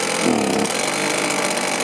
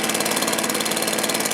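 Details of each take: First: Stihl BR450 two-stroke commercial blower that starts, runs, then dies: screams with uneven surging dips, then fades and dies around nine seconds; fuel filter clean but not pulling fuel; starvation from a blocked tank vent. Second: Stihl BR450 backpack blower after new carburetor, fuel tank vent replacement, coil air gap and low/high-speed carb adjustment: crisp, steady high two-stroke buzz with even firing, no stumble or surging; running healthy.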